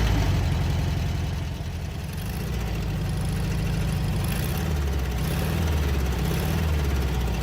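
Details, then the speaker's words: 1967 Volkswagen Beetle engine with cylinder head off previously, valve train corrected: rough idle with uneven knock about three to four a second, clearly from cylinder one, pulsing through the carburetor; throttle response much better. "you can hear that knock definitely on cylinder one it's pulsing through the carburetor pretty bad too"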